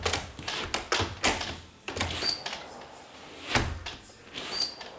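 Quick light taps and a clean latch thunk with no dragging scrape as it swings shut; the door closes freely without rubbing.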